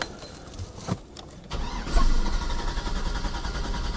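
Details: Chevy 6.0L truck that died on a test drive cranks over at a steady four or so beats a second and never catches; testing showed no spark, traced to a missing coil ground.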